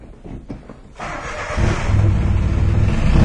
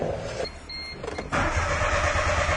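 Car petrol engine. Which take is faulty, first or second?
second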